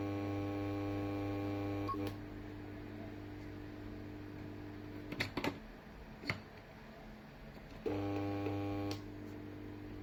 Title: Loud noise in the old fluorescent lamp fixture